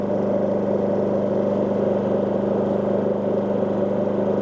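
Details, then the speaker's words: WEN DF480iX 4800W dual-fuel inverter generator at a little over 800 W load: steady even drone with constant low hum, tone slightly deeper, minimal rpm change, no surging; normal running under load. "RPM change is pretty much minimal to none. Now the tone on the generator is a little bit deeper, but still staying low."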